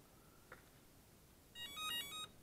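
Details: Emax BLHeli 20A ESC, powered up with transmitter throttle at maximum to enter programming: short beep, then a quick run of rising musical tones with no motor running; normal programming-menu entry beeps.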